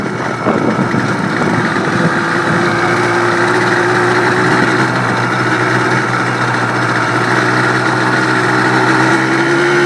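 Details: Yamaha Blaster two-stroke test run after rebuild: steady buzz with an even beat and gently rising tone, no knocks or rattles; runs healthy.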